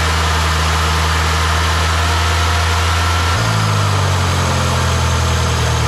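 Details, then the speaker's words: Ford 2.3L SOHC twin-spark engine just after coil pack mod (coil packs swapped): first start, deep idle rumble shifts pitch and stays uneven, not settling; rough idle on startup, exhaust pulses sound stronger. "it sounded a little rough on startup it was idling a little funky but it definitely so the exhaust bosses are definitely a lot stronger so"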